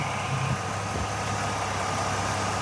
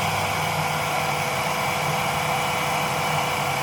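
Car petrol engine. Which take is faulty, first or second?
second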